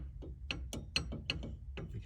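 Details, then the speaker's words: Car steering column with a used turn signal housing (cup) fitted: sharp plastic clicks three or four a second as the column is worked by hand; the loose housing gives the steering wheel play. "so you can see that it's still a little bit loose on there"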